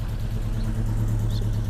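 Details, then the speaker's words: Volvo 145 before its MOT, running with only one muffler/silencer; deep, even exhaust rumble with a steady beat, no knocks or misses, just loud. Car works okay; normal running. "yeah the car seems to work okay well it's a little bit loud with only one Muffler silencer"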